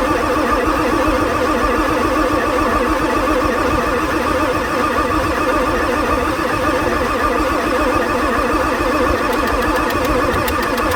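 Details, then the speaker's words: 1994 Ford F-450/F-350 Super Duty 7.3 diesel, pre-OBD2, with boosted batteries and glow plugs cycling: the starter grinds over ten seconds with no catch. It keeps losing high-pressure oil pump prime, ICP 0.5 V (about 400–500 psi). Owner suspects the engine is tired. "foreign so I primed the oil pump housing again hmm this thing is just tired I think well let the starter cool a bit so this thing keeps losing its oil pump Prime for the high pressure oil pump"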